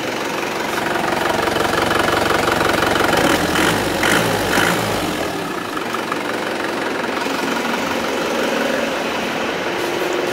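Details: Isuzu Panther diesel after replacing a dirty fuel filter, having suffered stumbling and stalling; the fuel pump had failed and the engine stalled while refilling the filter, now warming up: steady even idle clatter, nothing missing or hunting, healthy.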